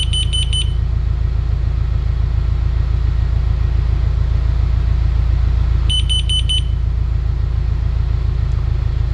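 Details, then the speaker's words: Carbon monoxide alarm after a quick test exposure reading 990, now taken away from the source; groups of four quick high beeps repeating about every six seconds while the reading falls, stopping once it reaches zero. "So, as you can see here, it's starting to lower. It's getting lower. Lower. And once it gets zero, it'll stop beeping."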